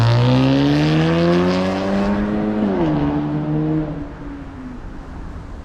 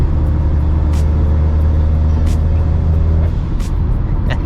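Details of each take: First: you can tell, light years better. Um, again, the cat and the resonator are still breaking in. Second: 2008 Acura RDX daily driver with downpipe, intake, blow-off valve, Hondata base-map tune and ATLP cat-back exhaust: steady low one-pitch boom while cruising over road noise, raspy weed-whacker-like tone from catless downpipe; exhaust drone, before high-flow cat and resonator install.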